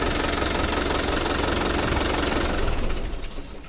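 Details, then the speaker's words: Hino 300 diesel truck that had low power, hard starting, stalling and fuel-line noise from a dirty fuel system, after a fuel filter change and scan: even diesel clatter at steady idle, no misses or stumbles, sounding healthy. "isa pa nga start yon goods na goods na"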